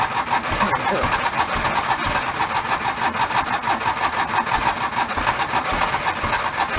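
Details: 1976 Porsche 914 converted to a station wagon, fuel-injected: steady rhythmic cranking at about two turns a second without catching while trying to start on a little added fuel; fuel delivery suspected, not confirmed.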